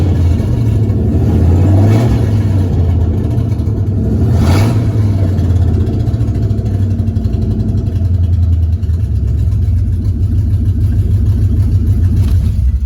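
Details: 2001 Ford Mustang Bullitt V8 with 5-speed manual at startup: rough, puffing rasp at idle with a couple of quick revs, from an exhaust leak.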